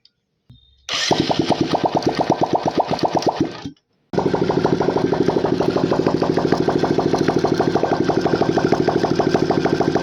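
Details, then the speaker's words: Single-cylinder engine that looks factory-fresh and unopened, with smoke from the silencer: fast, steady top-end tick, about three taps a second, at idle. Rocker-gear play is suspected; fixing it cleared about 60% of the noise. Tappet or piston is suspected for the remainder. "मेरे को लग रहा है इसका rocker gear है, क्योंकि इतना play नहीं होता, इसी का साउंड हो रहा था एक्चुअल में, टक टक टक टक करके।"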